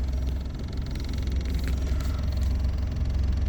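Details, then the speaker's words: 2001 Ford Escort ZX2 after an oil change, 30 miles later at night, parked with parking brake on: low, steady idle hum with even beat, no ticks, knocks or stumbles; engine staying cool, runs smoothly. "30 miles on the clock. No problems so far. Engine's staying cool."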